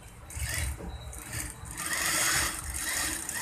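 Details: Industrial auto-oil sewing machine after repair of excess noise: quick, even needle clatter with a light steady rattle and no knocks or grinding, stitching smoothly, normal stitching.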